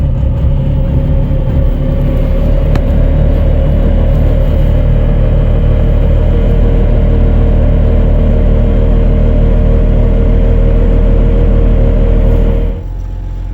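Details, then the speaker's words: Rebuilt 5.9 Cummins diesel swapped into a pickup, cold start at 21°F ambient, coolant 28°F, no starting spray or throttle, only two 5-year-old batteries and anti-gel fuel; starts on third crank into a deep, steady fast cold idle, running cleanly. "Okay, just to let you know, when we crank this thing over, we didn't put any spray in it or anything. This is just a straight cold crank."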